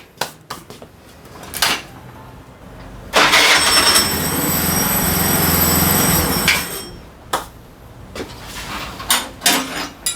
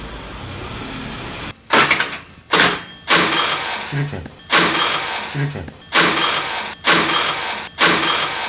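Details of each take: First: Daelim Couple 50 two-stroke scooter after replacing starter gear assembly with broken internal spring: starter clatter, then engine catches and runs evenly for a few seconds; starter engages cleanly, normal start and idle. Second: Daelim Couple 50 scooter: short bursts of starter whirring that cut off abruptly each time while the engine never catches; the starter works but the drivetrain/starter drive is slipping, a part that often fails around 30,000–40,000 km.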